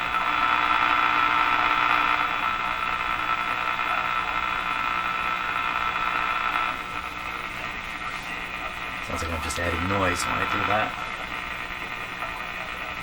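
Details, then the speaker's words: Moffat (Crosley) G2465 five-tube radio at first power-up, on reduced line voltage, tuned to a weak station: constant low hum and buzz under the audio with poor reception; speaker and output transformer work, cause of hum not yet found. "okay so what this proves is an awful lot again it's humming and buzzing a bit and the reception is poor and all that kind of stuff but the speaker works the speaker Transformers working"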